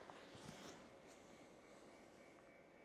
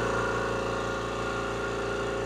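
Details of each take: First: Electric air compressor restarted via smart switch after power was cut mid-cycle, leaving head pressure trapped between check valve and motor: sudden loud steady hum that never spins up; motor stalled, could blow the breaker; mechanical unloader valve relieves it. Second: Air compressor run via switch before adding electric unloader valve: steady, even motor drone with smooth pumping pulse, no knocks or rattles; normal running, mechanical unloader releases line pressure at shutoff.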